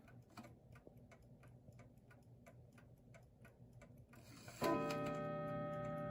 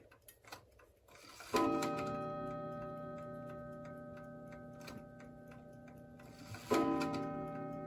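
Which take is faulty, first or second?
first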